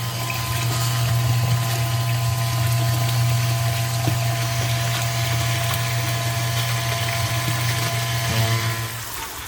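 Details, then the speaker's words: Sump pump, float triggered after heavy rain: steady low electric hum with faint trickle, motor running but not moving water, then cuts out; owner suspects clog, air lock also possible; runs but doesn't clear water. "the Zar pump it's working it's just might be clogged or I don't know"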